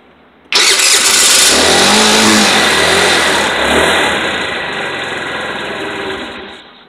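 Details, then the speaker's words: Scooter that runs a short distance and then stalls as if starved of fuel, running here with the gas cap removed; a bad cap vent is suspected. Catches at once, revs hard, then settles to a steady even buzz; runs normally. "the gas is flown fine and the gas cap is off so this is actually got a bad bent in it"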